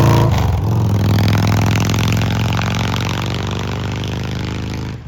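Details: 2003 Victory Vegas, 92ci/1507cc V-twin, slip-on mufflers removed, warmed up: deep, lumpy, loud raw bark swelling on the throttle then settling; open exhaust without mufflers, definitely loud.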